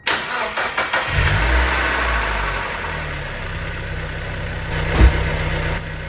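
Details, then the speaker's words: 2000 Mazda Miata NB petrol four-cylinder, 119,000 miles, first start after ATS oil system treatment, fresh oil and new filter: cranks, catches and settles into a steady, smoother idle with no obvious lifter tick. "time just taking it all in right now it does sound smoother I'm not even joking it's a lot of things I mean we got new oil in here we got the cleaner not too shabby"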